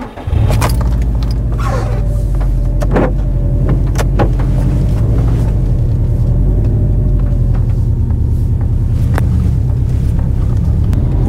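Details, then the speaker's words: Cold-start drive in a JDM Subaru Forester after a fix attempt for its cold-running stutter, about 100 yards in: engine pulls at steady low revs with an even rumble and no stutter or hesitation, feeling better than usual; normal cold running. "gone 100 yards down the road and already that feels quite a bit better than it normally"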